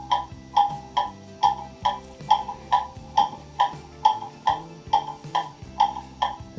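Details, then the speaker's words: Clock movement, oiled and on a test stand with the stand adjusted, now set in beat: even, evenly spaced tick-tock at about 70 beats a minute with no limp between beats; it needs a solid base so vibration doesn't disturb it. "there it is that's in beat remember you need a good solid base to put your clock on so that vibrations don't do that to it"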